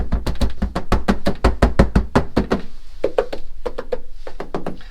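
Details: C5 Corvette Z06 interior body panel, hand-knocked before budget sound deadening is applied: quick hollow knocks about three per second, each ringing thin and tinny; undamped panel resonance.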